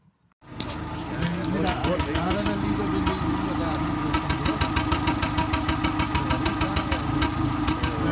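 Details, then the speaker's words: Seat Ibiza 6L 1.4 petrol with engine light on, idling on three cylinders: uneven stumbling beat with sharp popping pulses heard at the exhaust; fault code shows misfire on cylinder four; coil and spark plugs to be checked. "we have the engine light on it comes on and now we are going to listen to it as with a misfire it hits a head and stops sometimes it becomes"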